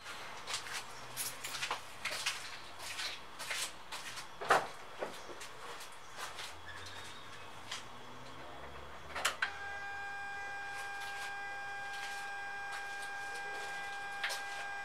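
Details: 2006 Mitsubishi Endeavor, buzz began after replacing valve cover gasket, spark plug tube seals and spark plugs; handling clicks, then steady high-pitched piezo-like electrical buzz at the throttle position sensor on the throttle body; cause unknown.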